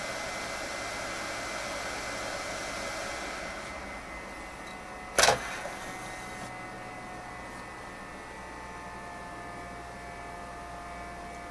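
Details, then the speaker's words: Xbox 360 whose fans grew progressively louder from a heat-transfer problem in the heat sinks, after the heat sink repair: soft airy fan hiss drops in pitch after a click once the game and disc stop, winding down smoothly; normal cooling fan running. "the fan was running a little faster but it slowed down as soon as I stopped the game and yeah looks like it's working all right"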